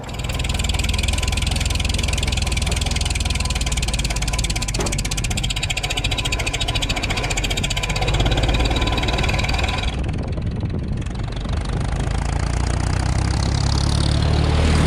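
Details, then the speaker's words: 1949 Farmall M tractor with C248 engine and loader idling steadily with a sharp tick at roughly three per second; source not yet located: ticking noise. "I'm not sure this thing's got a heck of a tick so let's get her in shop and get to work"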